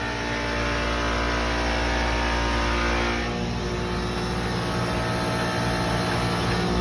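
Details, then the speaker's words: HVAC unit after topping up a low refrigerant charge: steady compressor hum with fan rush and an even pulse, running continuously. Much improved, but it still needs a little more refrigerant; the system has a slight leak, leak search needed. "still needs a little more refrigerant but you can see there's a huge Improvement versus uh what I have right now versus what I had before so system definitely have a slight leak"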